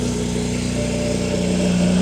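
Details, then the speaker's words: BMW 335i with N54 engine and upgraded 19T turbos, long abandoned, just started for the first time: uneven pulsing idle with an unsteady beat, running rough, cause not yet clear. "so we got braking driving it kind of sounds like it's running a little rough oh it does sound like it's R it does sound like it's running rough"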